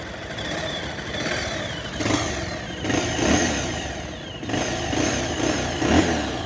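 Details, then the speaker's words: Bajaj Pulsar 220, about 11 years old (bought 2011), 60–62 thousand km, after repair of an engine tick-tick noise (timing chain, scissor gear, clutch kit): clean throttle blips rising and falling smoothly, no ticking; engine completely silent and healthy. "मैं आपको इसकी engine के sound एक बार फिर से सुनाता हूं ये हॉर्न करते हैं और ये देखिए बिल्कुल साइलेंट"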